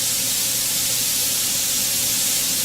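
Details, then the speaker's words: Autoclave steam sterilizer venting after about half an hour of sterilizing: loud, steady high hiss with no sputter or whistle as pressure slowly drops back to one atmosphere; normal steam venting. "it does take a while to get back to one atmosphere everything's hot so now the pressure's back down to one atmosphere"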